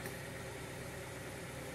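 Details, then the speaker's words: 2000 Honda Prelude SH, H22 engine, first start after repair of a six-month surging idle: steady, even idle without rise and fall, slightly high, which owner suspects is the throttle cable or a dirty intake. "a little bit high of an idol which I think could be the throttle cable or just a dirty intake or whatever the case but this is totally tolerable"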